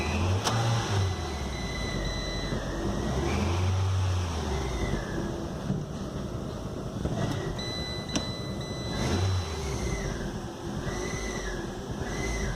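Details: Fiat Linea Dualogic automated manual: each rev brings a rising whine and rumble falling away with revs; worn clutch disc and noisy release bearing, flywheel found bluish with 0.06 mm warp after transmission removal.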